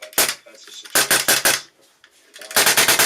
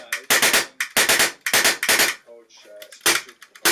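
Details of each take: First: Polarstar Kythera airsoft engine: sharp air shots run together into quick ragged "raspberry" bursts because the disconnector is not engaging enough. At worst it fires full auto. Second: Polarstar Kythera airsoft engine with trigger and sear misaligned, engine twisted toward the trigger by hand: sharp, crisp cracks in quick even bursts of three to four, each shot firing cleanly; consistent firing once aligned.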